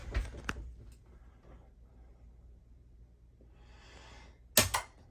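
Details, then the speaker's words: Vevor 3500 W inverter with auto transfer switch in a 1964 Airstream Globetrotter; shore power is cut to simulate an outage. A sharp double click right away as it switches to battery, quiet room; normal changeover. "hear that click right away. It switches back to battery."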